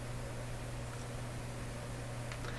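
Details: Canadian Admiral J104X/J105X console valve amplifier: steady low hum around 100 Hz under faint hiss persists unchanged after adding capacitance to the power-supply filter capacitors; suspected weak supply filtering not confirmed, mains hum cause still unfound.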